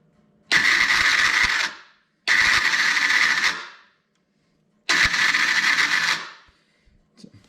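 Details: Can-Am DS90X on battery charger, starter cranked; three harsh grinding bursts about 1.5 seconds each, starter drive chewing a broken gear found under CVT clutch cover; new starter and idler gear ordered.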